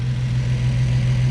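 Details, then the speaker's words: Nissan 350Z after VHR intake manifold swap, with PCV ports and extra holes plugged, earlier bogging and misfiring: now a steady, even low idle rumble with no stumbles, pops or hissing; engine sounds smooth and healthy. "sounds perfect sounds good before it sounded like it was misfiring and stuff now it sounds pretty sounds like a 370Z"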